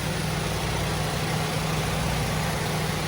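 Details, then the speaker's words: 1968 Shelby GT500KR convertible, numbers-matching 428 V8 with 3.91 gears and smog setup, battery slightly run down: fires right up into a steady even idle with smooth firing beat, no knocks or misses; runs good. "The battery wore down a little bit, so it took it, but this thing fires right up. Really runs good."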